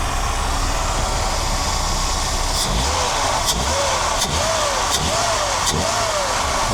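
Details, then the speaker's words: Mercedes W126 300SEL engine after the fuel distributor was refurbished and reinstalled: throttle blips rise quickly and drop smoothly back to a steady idle without hesitation, engine smooth; normal throttle response. "This engine sounds pretty good, feels quite smooth"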